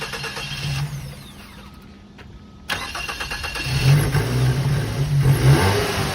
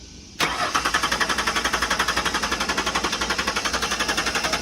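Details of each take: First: 2006 Mazda 3 at a tow-yard auction on a jump box: after a pause the engine catches at once, gives a couple of revs and settles into a steady idle; starts normally and moved backward and forward. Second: Auction lot 30 on a jump box: starter cranks at a steady four beats a second with even compression pulses but the engine never catches; cranks, no start today, though it reportedly started and moved when its key was made.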